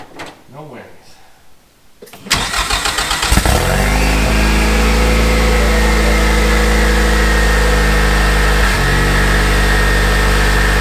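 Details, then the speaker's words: Ford EcoBoost with used turbo, after fitting Radium crankcase plate, Radium high-pressure PCV valve and UPR crankcase vent with check valve: starter whirs, engine catches and settles into steady even idle, no misses; earlier idle misses cleaned up. "Oh yeah, it already cleaned up some of those idle missing issues that we were having. Oh yeah. Yep, it's already happier."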